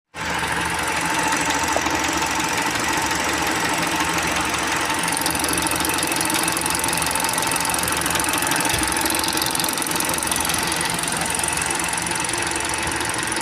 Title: What does tappet noise sound like / engine tapping sounds / what does lifter noise sound like